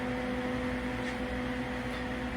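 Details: About 25-year-old MIG welder, amperage turned up slightly, tack welding: steady, even frying sizzle with faint electrical hum, arc melting into the metal; normal MIG weld sizzle.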